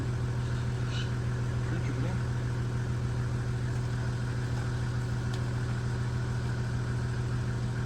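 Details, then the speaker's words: 1975 White 2-150 tractor, dormant 19 years, engine still a bit warm: steady even cranking at about 100 beats a minute that never catches; oil pressure up to about 20 psi but no fire after some 40 attempts, Aerostart considered. "still no bloody fire though felt like it was going to go then but have said that me had 40 times already too"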